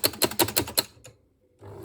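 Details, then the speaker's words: Sewing machine jamming on thick-fabric belt loops during reverse stitch: five hard, sharp clacks about six a second, then a stuck buzzing and silence as the machine struggles and refuses. "And yeah, you hear that buzzing? It's kind of just stuck and refusing. So all the noises you're hearing here are the sounds of a very unhappy machine struggling with thick fabric."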